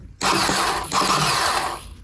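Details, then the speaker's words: KTM 250 SX-F during restoration, first test after reconnecting battery: fast high electric whir spins freely about two seconds with no cranking beat; starter turning but not engaging. "Well, the good thing is it's working, but the starter isn't engaging."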